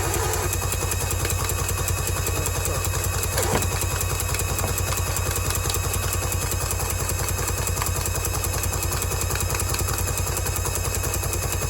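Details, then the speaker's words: 2003/04 Polaris Barrage fuel-injected jet ski that had long sat unused in weeds, with new plugs and 2-stroke oil in the cylinders, cranked by grounding the black wire. Steady cranking chug that never fires or lets up: the starter is stuck on and won't disengage. "Should be able to take this black wire, ground it, and the engine spin over. It won't stop."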